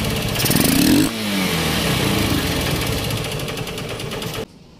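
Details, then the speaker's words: Honda CB Unicorn 160 single-cylinder after the carburettor assembly was replaced, because the carburettor piston pin had broken and the piston was damaged. It revs up crisply and drops back cleanly with no popping or stumble. Revving is normal after the repair. "इसका जो performance है दोस्तों carbon का बहुत ही अच्छा देखने को मिल रहा है आपको देख सकते हैं"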